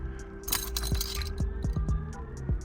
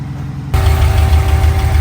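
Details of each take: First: Long, labored, slow uneven crank with no catch on a car just fitted with a 700R4 transmission and a new rear main seal, unstarted for about a month; battery dropping to about 10 volts, too weak to crank it. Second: Car just fitted with a 700R4 transmission swap and a new rear main seal, after a no-start: the engine catches half a second in and settles into a steady, even low rumble with no knocks or stumbles, a healthy idle.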